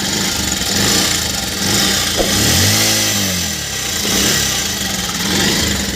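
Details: Bajaj Pulsar 125 running before a timing chain replacement: busy metallic chatter over the engine rising with each throttle blip, from a worn, noisy timing chain.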